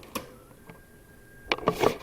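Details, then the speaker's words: Sharp RT-1165 cassette deck playing a 3000 Hz test tape through the headphone jack: the steady tone measures about 1587 Hz, about half pitch, with clicks after, so the motor is running too slow. "that is about half of what it should be so I'll go ahead and stop so what that tells us is the motor is running too slow"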